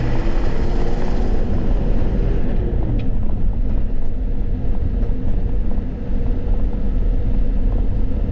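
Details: Ford F250 7.3 L diesel, about 500,000 miles, after turbo removal and repair and exhaust repair, on a test drive: deep steady diesel rumble pulling smoothly, no knocks or whistles; normal driving.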